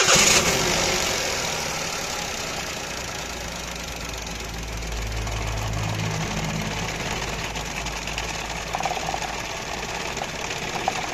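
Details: Petrol engine started with a light throttle: uneven idle with an irregular knock of about four beats a second; engine misfire at idle.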